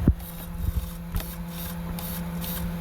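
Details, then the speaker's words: Traxxas XMAXX with a 1/10-scale servo converted in, first power-up before sealing: quick buzzing whirs as the steering sweeps back and forth with a steady hum between; servo working normally. "Alright, I think we have power to the servo, so I'm going to steer it. Oh yeah."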